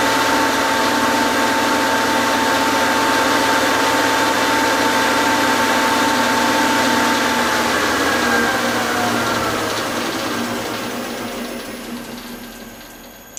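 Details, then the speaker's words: Lathe with a homemade off-center chuck, offset angle plate and V-block, run at about 1000 RPM. Steady constant hum at speed, then falls away as the spindle slows, with no wobble or thumping; little vibration. "we didn't get much vibrations at all. In this configuration, this offset, this angle plate and the V block and all the stuff on here"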